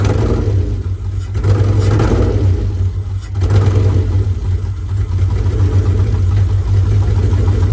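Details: Mitsubishi 3000GT SL project car, first start, revving up and down: rough uneven low rumble with stumbling pulses, not running on all six cylinders; misfire, two coil packs suspected, not confirmed.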